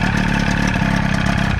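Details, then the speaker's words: Used 25 hp Evinrude two-stroke outboard for a flatboat, running on flush water after replacing two flimsy wires and the kill switch, oil mixed in the gas: fast, even, crisp steady rattle, no misfire; a slight knock noted; normal running. "Awesome. Oh yeah, baby. Sounds good."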